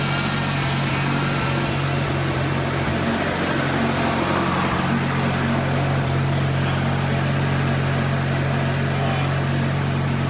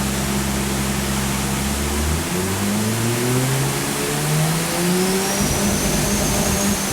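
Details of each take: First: Mazda RX-7 rotary after single turbo conversion with Haltech tuning, new throttle: steady even rotary burble at idle, constant low drone, no misfires, hunting or surging; smooth normal idle. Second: Mazda RX-7 with a single turbo conversion being tuned on a Haltech dyno. Pulls hard with rising tones, then an odd uneven note under load. Not normal; cause unclear.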